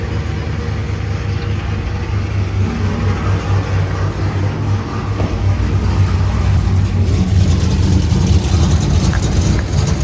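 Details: Cammed 500+ hp 2012 Camaro SS V8, TR6060 manual, running after clutch change, oil change and rear main seal reseal, leak check: deep, lumpy idle with steady choppy lope from the big cam, smooth and even; engine sounds healthy.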